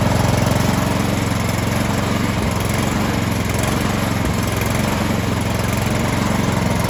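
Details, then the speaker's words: Troy-Bilt 2410 snow blower, about a year old and stored all winter, that ran rough at full throttle: after a quick carburetor cleaning of gunk, an even, steady beat at full throttle with no surging; running smooth. "all right once i put that gas all the way up it was running pretty smooth"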